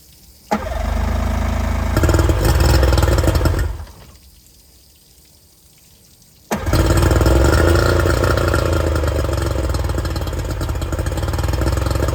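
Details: 50hp Yamaha outboard on a restored 1990 Smoker Craft boat, first run shown after reassembly: it fires and runs evenly for a few seconds, shuts off, then restarts cleanly into a steady idle with no knocks; normal running.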